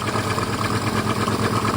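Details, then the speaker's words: Volvo automatic from a marketplace purchase, started with a jump pack: uneven lumpy idle with a steady pulsing beat that never settles, sounds awful; rough idle, cause not clear. "Does that sound not very healthy to you? Oh, it sounds awful."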